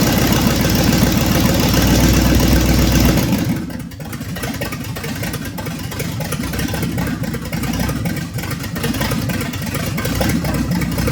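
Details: 1965 Ford Thunderbird with FE 390 V8, just restarted after troubleshooting: brief rev, then drops into a steady, even idle with a firm low rumble, no misses; normal idle.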